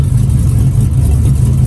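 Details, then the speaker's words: 1959 Chevy Apache, LS 5.3 V8, first real start: deep, steady rumble at idle with even pulses, no ticking or knocking, and nice throttle response on revs; runs like a dream. "sounds good too we'll run back around front right here real quick it runs like a dream nice throttle response"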